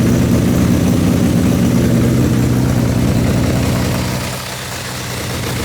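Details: 1972 Honda CB350F four-cylinder, sat 20+ years, bored from 350 to 400cc with new pistons, timing chain, guides and carbs, first start on choke: deep steady burble, dips briefly and recovers, smoky; plug wiring initially suspected wrong, healthy idle.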